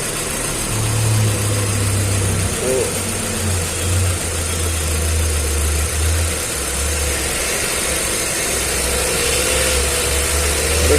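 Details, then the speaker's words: Hyundai i20 petrol engine with heavy missing and poor pickup: uneven, lumpy running with a stumbling low beat; one cylinder dead from a failed ignition coil, causing the misfire. "तो हमने गाड़ी start किया और इसमें बहुत ज्यादा missing है कोई तो भी एक सिलेंडर चल रहा नहीं इसका इंजन मिस फायर है"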